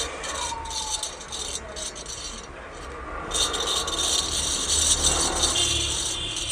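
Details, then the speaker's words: Ceiling fan with windings and capacitor checked good: hand-spun bearing gives a dry, gritty rattle as its small balls roll because the grease has completely dried out; fix is to regrease the bearing. "ये साउंडटा बाहर कारण है ये गिरीशटा एकदम सुखी जाइए, जहाँकि ये बेरिंग रु साउंडटा बाहर बॉल द्वारा ही बाहर देर जो बॉलटा अच्छी छोटे छोटे बॉल टाइप अच्छी द्वारा ही साउंडटा बाहर।"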